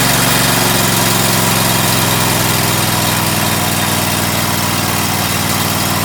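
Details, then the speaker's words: Cub Cadet LX42 mower, Kohler engine, after new starter installed: steady even low chug at constant speed, no misses or knocks; smooth normal idle, starter replacement fixed no-start. "starts I'd say that fix the problem thanks"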